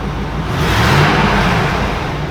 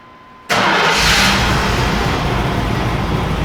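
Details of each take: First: Truck running after intake manifold gasket replacement; started a bit rough (suspected water in places), now smooth, even rev that swells and settles with no knocks, misses or rattles. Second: Shop truck just after an intake gasket replacement, with no stored codes but the check engine light on: it catches instantly and flares, then idles slightly rough while smoothing out. The owner suspects some water got where it shouldn't.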